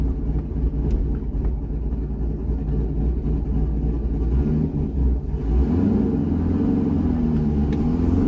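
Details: C6 Corvette V8 with aggressive camshaft and long-tube headers, on a revised HP Tuners idle tune (about 80% done), part throttle: steady deep rumble swelling smoothly, no stumbles or surging. Normal idle and running.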